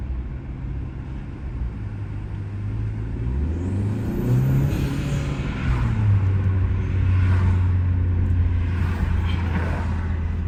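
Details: 2020–2023 Hyundai Sonata N Line accelerating in sport mode on a test drive after installing HKS M45XL spark plugs: smooth rising engine note through the revs, clean shift, no stumble or misfire; running good, no issues.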